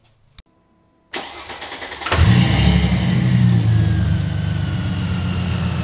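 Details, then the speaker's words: Mercedes SLK32 with M112K supercharged engine, 65mm supercharger pulley and 178mm crank pulley, first start after installing upgraded intake manifold: quick crank, clean catch and flare, then smooth even idle with faint supercharger whine; normal start and idle. "I mean we're just firing it up everything sounds good I'm gonna check it over let it run for a while make sure there's nothing crazy"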